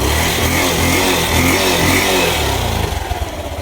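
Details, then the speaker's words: Yamaha YTX 125 with sidecar after misfire fix: engine revs and settles to even idle with no missing beats, yet still won't move in gear; clutch problem confirmed. "So ayan guys ah. Okay na yung andar niya. So wala na siyang palya pero ganun pa rin ayaw umusad."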